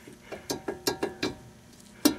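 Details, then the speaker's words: Ford Windstar removed wheel hub worked by hand gives loose, uneven clicks and clunks from a failed wheel bearing, which caused noise at highway speed. The noise was gone after the bearing was replaced. "all that looseness you can kind of hear that bearing is failed in there so it needs to be changed"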